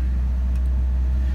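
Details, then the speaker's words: Ford Ranger holding about 2,000 rpm at idle with foot off the pedal, steady even drone without hunting, only when the HVAC is on; throttle reads 16.5%, owner suspects the throttle position sensor; engine dies when the HVAC is switched off. "as you can see my foot is not on the gas pedal right now and she's at 2,000 rpm she's been sitting there for coming up on a minute now but this only hat this high idle only happens when the HVAC though"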